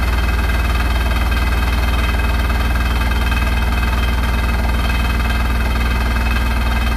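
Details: Hotpoint NSWR843C washing machine on final fast 1200rpm spin: deep steady roar with fast hammering rattle at top speed; something loose or badly out of balance, cause not yet found; rattling really loud.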